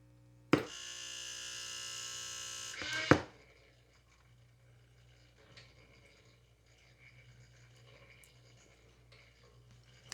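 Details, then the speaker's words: Saba 300 tube radio, auto-tuning motor set to seek FM 98.5 with volume near max: a click, about two seconds of even motor whir, then a clunk. The drive sweeps but never locks on. ECC92 tubes are weak or dead. "Put the motor and try to get it to stop at 98.5."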